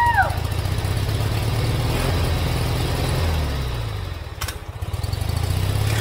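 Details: Forgotten free lawn mower: slow uneven starter chugging with no catch, almost starting; cranks but fails to run, later ran after fuel added to bowl and carburetor work.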